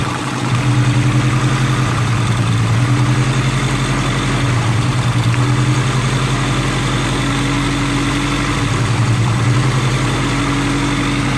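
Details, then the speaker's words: Budget Honda Integra build after fitting 550cc eBay injectors with a chipped ECU, cylinder 4 issue addressed. Even, steady idle with a smooth low rumble and no missing beat; hitting on all cylinders. "Alright, we're hitting on all cylinders now."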